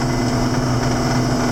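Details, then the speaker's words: 7410 diesel after in-frame rebuild, at operating temperature with gauge in the green: steady warm-idle rumble with an even, cleaner turbo hiss; no knocks, surges or whistles. "We should be up to temperature, which we are. We're in the green, where it belongs, and that's that. She's good. I can hear the turbo running a little better and cleaner."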